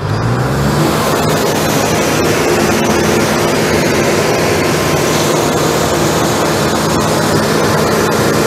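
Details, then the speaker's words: New ARIACOM SAX 112 diesel screw compressor, 126 hp Cummins engine, Atlas Copco screw block, warmed up then loaded to max working pressure (12 atm) at about 2,000 rpm: loud, steady diesel drone, no knocks or surges; healthy. "Мы даём обязательно прогреться компрессору какое-то время и после этого поворотом тумблера можем нагрузить"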